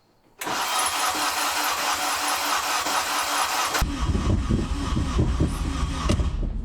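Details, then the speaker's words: K20A2-swapped Acura RSX on its second start attempt, injectors just installed and vacuum delete done: starter spins steadily about three seconds, then uneven low thumps without catching; crank no start, suspected air, fuel or spark, not cranking speed. "It's either air, fuel, or spark. I I don't think it's a matter of it not spinning quick enough."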